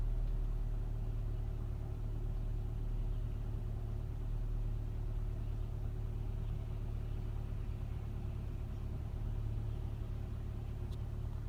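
Low, quiet idle rumble with an unsteady pulse of about three beats per second; the engine is idling roughly on a cold start.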